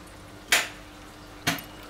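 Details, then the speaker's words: Renault Clio II 1.9D diesel (F8Q engine): two sharp single clicks about a second apart, then silence with no cranking; solenoid engages but starter is dead, battery ruled out because headlights don't dim; starter replaced. "on entend clairement le "tic" du démarreur mais ça ne démarre pas."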